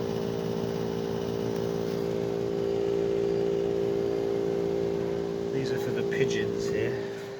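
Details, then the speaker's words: Outdoor inverter box of a three-year-old Bosch Climate 5000 split air con, just switched on in heat mode: hum building and holding, not the fan; owner suspects compressor getting noisier, sometimes worse. "you know a bit of a noise building up now it's not the fan I I would say it's the compressor pump getting a bit noisier now"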